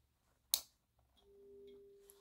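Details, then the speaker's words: MAZDA FEE 75 18W 230V 50Hz E27 compact fluorescent lamp, 1987–1990, ferromagnetic ballast: sharp starter click, then faint steady low ballast hum, no buzzing or flicker; normal ballast hum. "à l'argon, puis là on entend le petit ballast, ça fait un... Hop."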